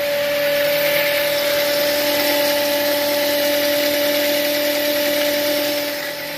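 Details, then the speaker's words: Toyota Avanza that stalled while driving, battery recharged, alternator not charging though warning light off: steady mid-pitched hum from the alternator over the engine noise; owner suspects alternator, alternator whine. "Nawala lahat pero maugong yung aking alternator maugong ang aking"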